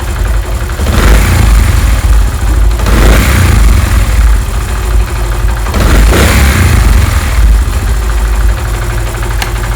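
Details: Honda CD 70 after carburetor mixture adjustment; low, even single-cylinder idle with steady thump, no hunting or misses; mixture sounds correctly set. Normal idle.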